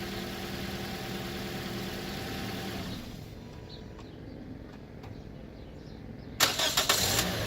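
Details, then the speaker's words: 2014 Toyota Corolla LE 4-cylinder, after replacing a battery just over 3 years old that caused hard morning starts: engine shut off, then fires almost instantly on a brief crank into an even idle. Normal quick start, no hesitation. "So there you have it, guys. The car is nice and openly able to start without any problems, no hesitation."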